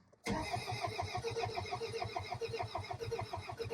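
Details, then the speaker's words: 2002 Toyota Camry, 273,000 miles, sat over 5 years, coil pack wiring harness found cut: steady starter cranking with even compression pulses, never catches, tachometer not moving; cranks but no start, no spark suspected. "So, they said that it wouldn't it would turn over. It just wouldn't start."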